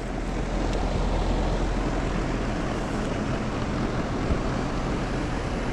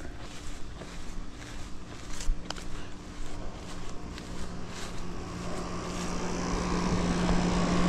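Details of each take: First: Mobile home outdoor AC unit, tenants report no cooling; only a steady fan whoosh, no compressor hum: compressor not starting, followed by a buzz; dirty condenser coil noted. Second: Mobile home AC outdoor unit, condenser coil dirty; low steady hum that builds as the compressor and fan come up to speed, running evenly: normal running; coil cleaning likely to be recommended.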